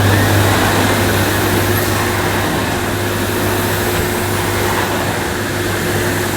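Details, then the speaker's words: 1998 Hoover Alpina Filtra C 1500 (model SC 231011) cylinder vacuum with electronic speed control and carbon filter, pushed over carpet at about two-thirds power on the carpet setting; steady, even motor drone with light brush rumble. Runs normally and the nozzle pushes easily, though these models are reportedly prone to overheating. "not too bad a vacuum cleaner even on full power this very nice nozzle was easy to push so it's not a bad machine"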